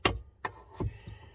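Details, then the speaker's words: 2006 Lincoln / Crown Victoria upper steering shaft repair: four or five dull, irregular metallic clunks as the sloppy upper shaft is lifted and drops onto the lower shaft, which jammed the bottom shaft during reassembly. "see what it is is a shaft see how they're slopping here that top shaft just fell down listen i got it picked up now hear it"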